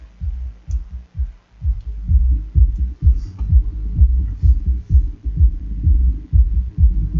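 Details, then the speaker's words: Hifonics Brutus BXI 1606D 1600 W mono class D car amplifier after cleaning that cured earlier crackling at 2.4 A draw: clean, punchy bass thumps about two per second, no crackle or dropouts; playing normally. "Voilà, on va allumer. Donc le son, il est en train de tourner. On va l'allumer. On va espérer qu'il y ait du son. J'entends du son."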